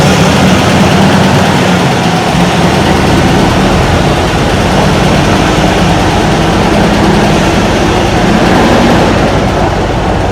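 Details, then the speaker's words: 1994 Ford Ranger revived after sitting, fresh gas added: loud, lumpy idle that stumbles now and then; misfire, owner suspects new plugs and wires will fix it. "well so far it runs and drives uh it runs a little rough it's missing again I'm assuming I've set a new plug to wires it probably uh take care of that issue"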